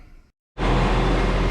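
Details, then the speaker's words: Nissan VQ35DE V6 (G35/350Z/M35) started after water pump replacement and timing chain reinstall: fires and holds a full, steady, even run with no rattle or knock; sounds good. Owner thinks the battery is bad. "all right y'all so as i can see i got her running she sounds good"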